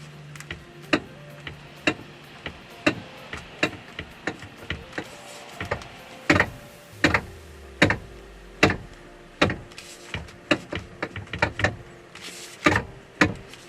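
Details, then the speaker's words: Hyundai Veloster steering knock, typically appearing around 50,000–70,000 km: sharp, uneven knocks one or two a second as the wheel turns, from a worn steering flexible coupling needing replacement. "if you're a proud owner of a hondai Veloster sooner or later you're going to come across cross this steering knock problem they normally play up between 50 to 70,000 km"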